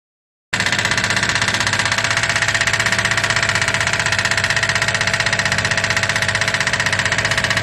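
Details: 2008 Daihatsu Move L175, naturally aspirated KF engine, 4-speed automatic, 180,000 km, heavy oil consumption, lost power on the highway: sharp, regular metallic tapping about four times a second over idle; large play found at the No. 2 piston pin.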